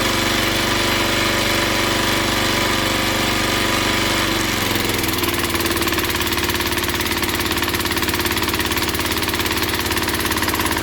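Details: Log splitter engine that stalled under hydraulic pressure, after opening the valve underneath to two full turns out: the note drops and bogs as load comes on but it keeps running. It still struggles; carburetor cleaning planned next.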